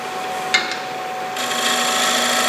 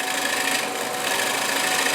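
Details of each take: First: Lathe finishing a dried, faceplate-mounted bowl rim with a less-than-90° scraper at 45 degrees, light cut: rasping bursts with hum rising under pressure; the scraper chatters (harmonic). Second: you can hear how quiet it is if you're making a lot of noise with this tool you're doing something wrong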